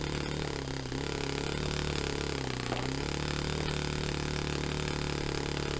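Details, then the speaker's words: Saito FA-45 Special on first run after a full rebuild with new bearings, on a test stand, 10% nitro, carb untuned. It buzzes unevenly and sags in pitch a couple of times before recovering; rough running, slow throttle response. "So it's obviously it's not tuned right, it's not set up, but as a starting point, I know it runs, and that was actually that's so rewarding to have stripped and rebuilt this engine entirely, put new bearings in it, and to have it back up and running is fantastic."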